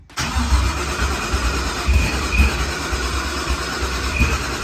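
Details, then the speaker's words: Procharged Ford Coyote V8 race car at first fire-up, with two fuel pumps: engine spins evenly on the starter with a low churning beat but never catches; fuel pump not coming on while cranking, no fuel pressure, crank no start. "so for some reason we're not getting fuel pressure so click the ignition off and then click it back on this fuel pressure immediately come up the fuel pump is not coming on when it's cranking"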